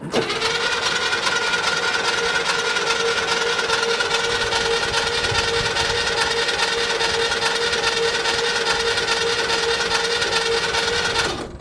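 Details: 1972 International Harvester 1110 pickup off the road since 2013: starter grinds the engine steadily about eleven seconds without catching, no oil pressure on gauge.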